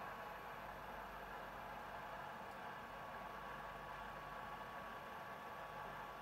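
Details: PS4 console cooling fan running too loud: steady, even airy whoosh with a faint hum and no change in pitch.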